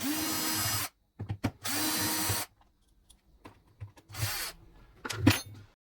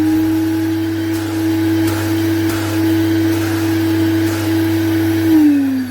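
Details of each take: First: Vacuum cleaner motor spun by hand after removing fan: short rough grinding bursts with a catch partway round; broken bearing, dust got into motor. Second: Vacuum cleaner after repair and reassembly, test run: smooth, steady motor hum with no rattle or grinding, then an even wind-down when switched off; the motor sounds healthy.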